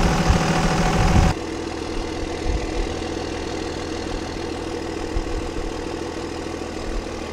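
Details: Cummins 5.9 24-valve diesel that would not start, restarted after bleeding air from the fuel to the injectors: a loud burst at start, then a steady, even diesel clatter at idle; the engine is idling normally.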